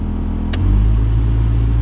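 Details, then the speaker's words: 2005 Skoda Fabia cabin heater blower fan, dead on speed 1, racketing at speeds 3–4: clicks up a speed and roars louder with a fluttering, rattly drone, from debris in the fan housing; owner first suspected the resistor. "m i noticed that his fan was making a racquet when it was sort of up at number three or four so i think we're gonna have a look at that now"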